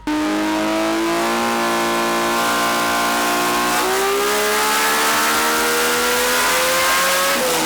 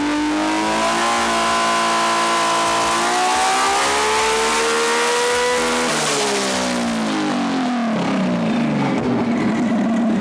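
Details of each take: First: RB engine on the dyno under full load after plug and lead change: note climbs smoothly and steadily with no stutter or popping; earlier misfire now gone. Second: RB-engined race car being tuned, coils and settings under suspicion: climbs hard with ragged, uneven edge then falls away; number four cylinder cutting out under load, team considering swapping the coil or injector peak-hold settings.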